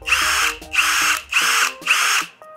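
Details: HL Premier 818 cordless brushless impact drill running free at speed 1: four even high-pitched whirring bursts with clean starts and stops, no grinding or rattle; it runs normally.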